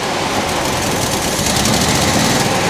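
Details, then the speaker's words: Mercedes W123 petrol engine idling after new HT leads were fitted, with smoke from the top: a rough, rhythmic puffing that sounds like a miss, suspected exhaust puffing from a leak after the manifold. "not so much it's missing more like it's um uh exhaust is puffing after the manifold"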